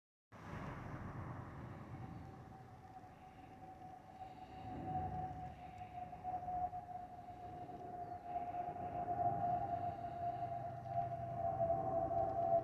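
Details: Airbus A320-232SL in cabin: steady mid-pitched whistle holding almost one note over cabin roar; normal fuel overpressure protector (FOPP) vent whistle.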